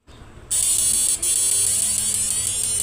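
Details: Samus 988M Plus ultrasonic PDC inverter after PWM driver modified to a universal PWM: steady, very high-pitched whine starts at once and holds even without wavering; running healthy.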